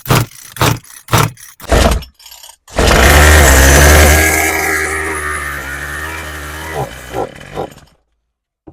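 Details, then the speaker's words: Craftsman 27cc string trimmer after carb rebuild and new fuel lines, carb needles being reset: several pulls, catches and buzzes about five seconds then dies; starts then stalls, likely carb adjustment, unconfirmed. "All right, it does start, but it immediately dies out."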